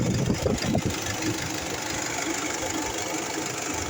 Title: Honda city engine noise